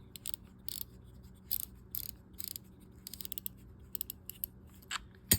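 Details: Lew's Browning BB 1C2 baitcast reel during reassembly and lubrication: crisp, irregular bursts of fast, clean, even clicks as the drag is worked; the drag clicker works properly.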